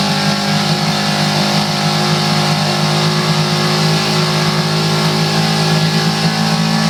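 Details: Coleman 5 hp outboard motor at part throttle, about 2000 rpm: a steady buzzy run with a constant metallic rattle like a loose exhaust pipe. Nothing looked loose with the lid off; source not found.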